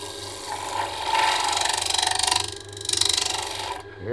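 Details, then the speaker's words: Woodturning a wet pecan bowl with a bowl gouge near the rim: a rough, rasping cut pulsing about four times a second; the tool is chattering because the wet bowl has already gone out of round. "hear it chattering? That's because it's out around already."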